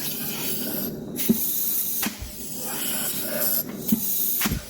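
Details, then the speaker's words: 1973 Dodge Dart 727 TorqueFlite transmission on the bench, air-pressure functionality check before valve body installation: hissing bursts of shop air, each ending in a soft dull thump as the front clutch piston strokes; clutch applies normally. "all right so when we put air to this hole we should hear the front clutch"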